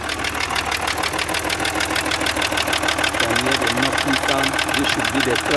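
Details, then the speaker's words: 2012 Range Rover Sport V6 diesel at idle: loud, hard, sharp metallic knock about three times a second, very serious; suspected crankshaft, possibly piston, not confirmed. "This is Range Rover Sport 2012 diesel V6. Engine is knocking very seriously."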